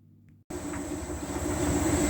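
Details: Hotpoint NTM1192SKUK tumble dryer after replacing the faulty water pump that made a loud noise pumping water out: brief quiet start, then steady even hum and faint high whine, back to normal.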